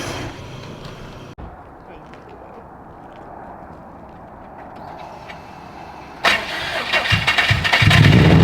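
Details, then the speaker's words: Subaru Forester, stock motor at around 800 hp, restarted after one pull with a broken rod visible: runs rough with an uneven knocking beat under the exhaust; rod knock, oil level questioned. "Which I can see the broken stock rod in there right now. I've never seen a crank go around like that."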